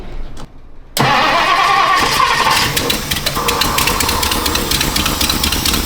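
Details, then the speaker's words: 1960s Ford Thunderbird that sat 16 years, gummy carburetor, clean oil, run at varied rpm to clear it: catches and idles a bit better but rough, with loud sharp ticking puffs about four per second; terrible exhaust leak. "Oh, it's got a terrible exhaust. Sounds like it's idling a little bit better now. It's still not perfect. There's a terrible exhaust leak."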